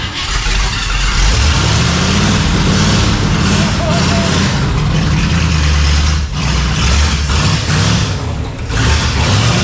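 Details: Engine first fired after a week of wiring work: it starts and keeps running, revving and easing back with a steady, even rumble and no stumbling.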